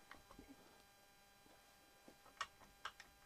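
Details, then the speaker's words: Hewland FT/FG gearbox during bearing carrier and selector fork setup: light, irregular metallic ticks as the selector rod head rocks freely, showing clearance remains in the heads and nothing is binding. "as you can hear, it's just rocking. So that tells me that I've still got clearance here in the heads, and that's going down."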